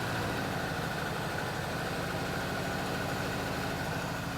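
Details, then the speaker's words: Chevrolet Chevelle V8 barn find abandoned 24 years, first run on fuel poured in carb, low but adequate oil: even steady idle with smooth low rumble, no misses or knocks; smoke cloud at start. "okay we know we don't have a ton of oil in it we got enough but right now we got enough to let her run she idled pretty good"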